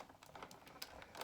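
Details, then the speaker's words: Big Shot hand-cranked die-cut press rolling magnetized Easter dies between clear plates, run through more than once: irregular light clacks and knocks as the plates feed through the rollers; this banging around is normal. "I'm going to roll it more than once just to make sure it gets cut in all the spots. You do hear it banging around. That's pretty normal."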